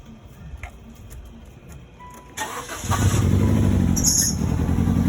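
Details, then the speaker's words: 2001 Nissan Sentra with 92,000 miles cranks and catches into an uneven, lumpy idle with a stumbling beat; code reader points to a most likely bad coil pack, and the check engine light is on. "I noticed that there's a bit of a misfire so which guys can start it up"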